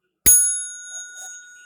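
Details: Seth Thomas mantel clock mechanism being repaired: one clean bell strike ringing out and fading over about a second and a half; strike working normally.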